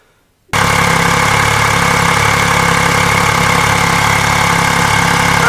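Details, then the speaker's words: 2015 Yamaha FJ-09 triple at its 4000-mile service, just started on new NGK Iridium plugs before a throttle body sync: catches and settles into a steady, even idle with no misses or knocks; runs fine, throttle bodies slightly out of balance. "It's running just fine on the new Iridium spark plugs."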